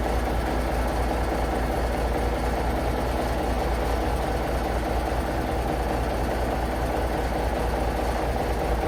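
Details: International Paystar big diesel idling after the radiator rebuild with new gaskets; steady even low clatter, no misses or surging, air building to about 70 lb, running beautifully, no leaks; normal idle.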